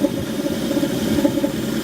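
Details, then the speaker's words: 1983 AMC Eagle, stock, automatic, 35,000 miles, air filter off, with duct tape removed from an inlet tube: uneven, lumpy idle with wandering beat and irregular puffs, worse with the tape off; rough idle, carburetor suspected, unconfirmed. "so here's what it's looking like definitely has a strange sound to it take this off and it gets worse"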